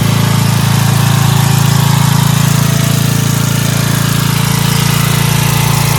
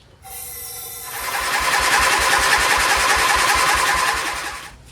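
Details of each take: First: Dayton 11 hp Hauler lawn tractor, after readjusting the carburetor bowl fuel mixture screw that had been set too far out: steady, even low thump about four beats a second at lowest idle, no misses or knocks. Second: Dayton 11HP lawn tractor with oil inside the carburetor, probably in the combustion chamber too, and a soaked spark plug: even cranking at about three and a half beats a second that never catches. Hard starting from an oil-flooded carburetor and cylinder.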